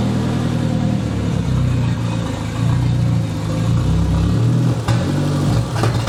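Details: "!200" engine with catalytic converter removed and coils being swapped, running worse since: stumbles and surges unevenly as the throttle is blipped and never settles into a clean rev. Acts fuel-starved despite about 38 psi fuel pressure. Misfire under acceleration.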